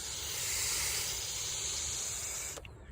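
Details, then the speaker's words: Kawasaki Ninja ZX-6R fuel pump assembly pressure regulator, blown through by mouth: steady airy hiss cutting off sharply; regulator passes air when it should hold pressure, owner plans to order a new one. "Okay, I determined it is the fuel pump because I can get it started, but it wants to bog. I can hear air coming out."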